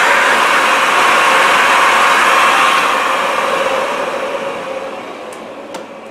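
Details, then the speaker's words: Old Philips vacuum cleaner with clean first-layer filter, switched off: steady motor hum fading out evenly, no rattle or scrape; silky smooth, normal wind-down. "listen to that wind down sound. It is silky, silky smooth,"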